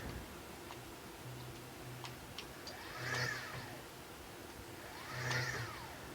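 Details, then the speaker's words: Stepper motors jogging in TurboCNC on newish PC hardware, slow jog 1,000 and fast jog 20,000 settings: quiet ticking, then two jogs whose whine sweeps slowly up and down over about a second each; acceleration is slow. "So you can hear that. Acceleration is kind of slow."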